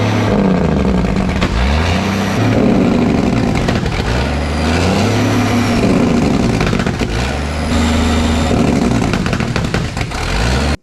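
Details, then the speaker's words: Ford cabover with 14 L Big Cam Cummins, sat about 10 years, jake brakes hotwired: loud diesel at high idle with irregular sharp pops and cracks; unburnt fuel pushed into exhaust as jake brake opens exhaust valves on compression stroke. "I don't know if that's healthy at all for the engine but it's pretty fun oh actually that does make sense cuz we're at such a high idle that this engine is still trying to squirt a lot of fuel in cylinders but the jake brake is flipping open the exhaust valves on the compression stroke"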